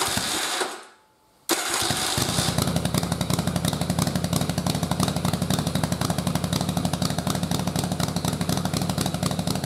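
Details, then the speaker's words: Single-carb manifold conversion with the stock 122 main and 41 pilot jets: with choke off it won't stay running; on full choke it fires after a brief cut into a ragged idle of about four beats a second, running lean and barely staying alive. "so it runs for a little bit if we zoom in here you'll see that the air fuel is really hot so it's just barely enough to keep it running"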